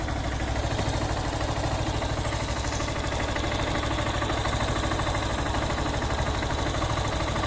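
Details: Honda CB190R single idling, recorded at the valve area, on 20W-50 full synthetic oil plus Lucas oil stabilizer: steady, even thump with light quick valve ticking and no stumble; idling normally.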